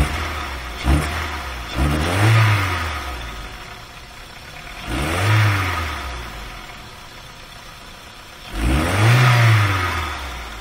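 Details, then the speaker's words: VW A3 2.0L (Mk3 Golf/Jetta platform, possibly automatic) gutless on test drive: idles fairly nicely, but repeated blips rise sluggishly, flatten and sag, wanting to cut out and not picking up with throttle held; exhaust restricted by plugged catalytic converter. "eventually gets to the point where you can hold a throttle open and it just won't pick up anymore and that's because the exhaust is restricted"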